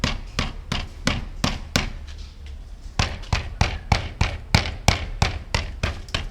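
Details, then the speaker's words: 1994 Mercedes S600 coupe on a lift, exhaust tapped: sharp taps about three a second, each with a short hollow metallic rattle; loose internals in the left front catalytic converter section, confirmed by stethoscope. "now the problem is with the left side front portion of catalytic converter it makes the noise so if I hit it you can hear it I checked with stethoscope it's coming from this portion right here the right side seem to be okay"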